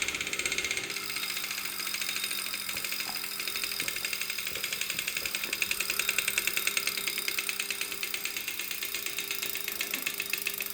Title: Broken brand new Wahoo Kickr Core makes strange noises